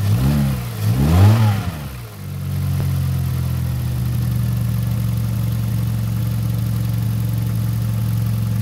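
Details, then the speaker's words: Kia Rio that overheated a month after an overhaul, with oil in the coolant, after repair with new radiator cap: after a couple of blips, smooth, even idle with a steady low hum, no misses, no coolant bubbling; normal. "ayos mga boss. So walang bulwak yung tubig."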